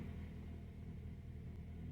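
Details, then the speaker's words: 2012 Honda Accord 2.4 L automatic, code P0301: quiet low idle with a faint uneven stumble, car shaking badly; live data shows cylinder 1 misfiring badly, cylinder 4 slightly, traced to a clogged fuel injector, not coil or spark plug. "oop it's shaking really bad okay and this is the live date i'm gonna be using here i want to check the cylinders here and uh there is the misfire there let me fire right there cylinder number one right there is misfiring as you can see"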